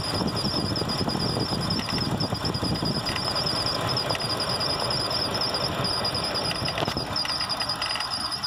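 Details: Mitsubishi Nativa running: thin steady high chirp from water pump, bent, once at normal operating temperature, plus light irregular tapping from accessory belt auto-tensioner; fix: replace tensioner and water pump.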